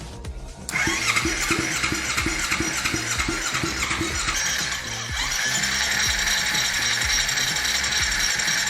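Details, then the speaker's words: Kawasaki Z250 engine, reassembled with a new cam chain and timed, spun on the starter on a stand after assembly: click then even whirr and steady beat, turning over freely; oil reaches the cams. "bueno muy atentos acá lo que hacer es hacer girar el motor"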